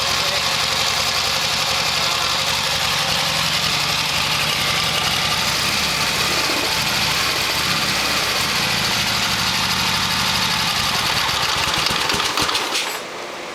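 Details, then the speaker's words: 1972 Harley XLH Sportster V-twin, carburetor taken apart, fuel leaking probably from accelerator pump: uneven lumpy beat dies abruptly as throttle closes onto the idle circuit; stalls at idle. "Yeah, if you try to close it for the put it on the idle circuit it doesn't even uh it just stalls out as you just heard."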